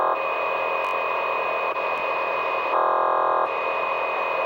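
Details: CB radio on an A-frequency channel during rain: steady hissy buzz with a harsher band coming and going. Unknown interference; owner suspects the transformer out front, which sparks whenever it rains.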